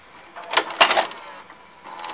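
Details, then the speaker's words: Sony SLV-760HF VHS VCR: short bursts of clicking and whirring from the tape mechanism that stop without ejecting; the tape won't eject, and the owner suspects an obstruction or a broken carriage. "I can't reject it at all something must be in the way"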